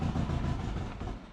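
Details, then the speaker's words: Turbo Subaru Forester with Haltech Elite 550 ECU, before fitting 980cc injectors: fuel pump fuse pulled while idling to empty the rails; low idle rumble sags and dies within about a second as fuel pressure drops, a stall from fuel starvation. "There we go. Lost fuel pressure. That's good."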